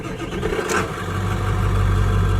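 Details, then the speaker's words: Ford 7.3L Powerstroke diesel truck with a motorcycle Hall-effect throttle wired to the ECU: steady low diesel rumble with an even, settled beat and no knocks or misses; normal idle, slightly high from the sensor's minimum voltage. "that's normal idle."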